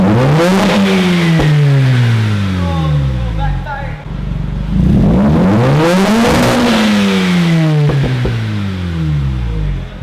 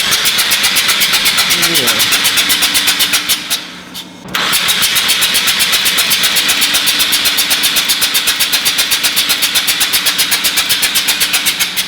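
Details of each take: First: Mazda RX-8 rotary, about 100,003 miles, after unflooding and replacing spark plugs (coil 2 misfiring), check engine light on: two smooth revs sweeping up and back with even buzzy exhaust note; sounds healthy, starts better than before. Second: Mazda RX-8 13B rotary, flooded, second day de-flooding: clutch in, throttle floored, cranking fast and evenly without catching to clear excess fuel.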